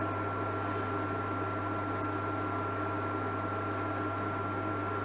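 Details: Amzchef dual induction hob after solder repair of E0 no-heat fault, heating a pan of water: steady low hum with faint constant high whine, no buzzing or cutting out; heating normally, temperature rising.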